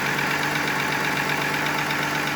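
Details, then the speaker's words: VR6 12V Eurovan petrol V6 just restarted after in-vehicle timing chain replacement, not yet warmed up: steady idle with light even ticking, no chain rattle and no vacuum-leak hiss. "Can't hear the chains either. That's good news. I don't hear any hissing sounds from a vacuum leak."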